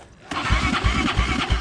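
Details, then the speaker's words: Motorcycle that suddenly made an engine noise and died: starter churns with slow, even compression pulses about three a second but never catches; afterwards oil leaks from the crankcase breather; cranks, won't start. "infelizmente minha moto apagou Não sei o que que houve tentei bater arranque E tomara que não"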